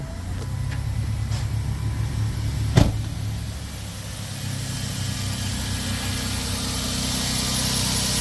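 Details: Van after a misfire fix, with ignition coil boots reseated (the misfire had caused a MAP sensor failure): quick crank, clean catch, then a steady, even idle that firms up with no misfire. Check engine light off. Normal start and idle.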